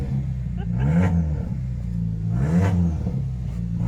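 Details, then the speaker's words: Ford car with 6DCT450 Powershift gearbox, cold start: deep loud blatty roar swelling with each throttle blip and dropping between revs, from a broken, leaking exhaust. "obviously the exhaust is broken that's why it sounds like [Music] this"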